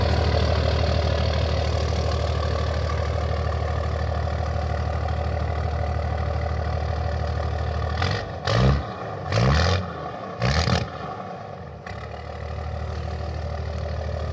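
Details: 12-valve Cummins diesel swapped into a 1967 Ford F100: low, steady diesel clatter at idle, about three beats a second, holding even apart from handling bumps; idle sounds healthy.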